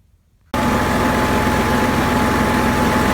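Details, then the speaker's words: Generac Q-55G RV generator that used to run then die, now fitted with a new fuel pump and reading 124 V on both the 20 A and 30 A legs: steady, even drone with no surging. "running okay. Got 124 on both legs, the 20 amp and the 30 amp. So it's been running good."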